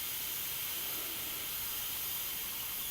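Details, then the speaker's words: MINI R50 Cooper after engine refit: steady thin hiss with engine off as trapped air is bled while filling the coolant reservoir; normal air purging, airlocks may remain. "So it's just filling up on the reservoir there, so if we let the air out now, just hear the air hissing away there."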